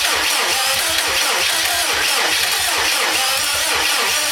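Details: 2007 Subaru WRX STI after engine rebuild: steady starter churning at about three pulses a second that never catches; cranks but won't start despite fuel reaching the lines and main harness reseated.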